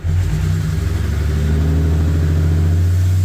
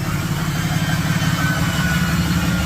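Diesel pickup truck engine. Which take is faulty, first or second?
second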